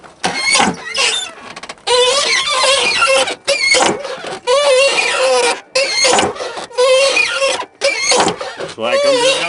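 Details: Junkyard Chevrolet Tahoe door swung with engine off: about six loud, high-pitched squeals with each swing; dry, squeaky door hinge.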